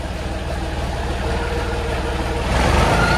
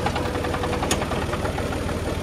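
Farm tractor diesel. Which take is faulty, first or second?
second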